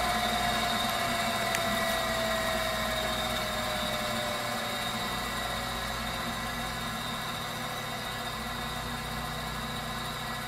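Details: Viessmann Vitodens 200-W WB2B35 condensing boiler, built about 2011 and about 5 years in service, which intermittently stops heating with no fault codes; radiant-loop zone calling for heat. Even fan-and-flame roar, a short tone sliding down at the start, then steady normal burner operation.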